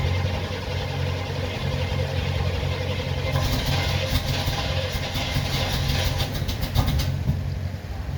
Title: 1977 Chevy Corvette (Hard Starting) Cold Start